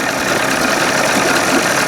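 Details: 1981 Evinrude 20 HP outboard, cold, timing just past the second mark, mixture about 1.5 turns out: a choppy, lumpy "tip, tip" idle with uneven beats. The owner thinks it almost sounds like an exhaust leak and plans a timing light check. Cause unconfirmed.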